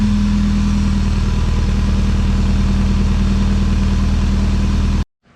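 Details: Nissan 240SX with engine rebuilt after timing chain snapped, running on its own after distributor timing set: smooth steady idle with even low beat, no knocks or ticks, cut off abruptly; sounds healthy.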